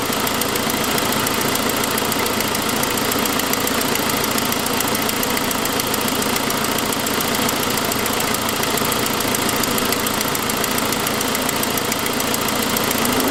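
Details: 2006 Saab 9-5, noise that followed an earlier louder turbo noise: fast, light ticking over a steady idle, keeping time with engine speed, caused by an exhaust leak from a broken forwardmost exhaust manifold stud, not lifters.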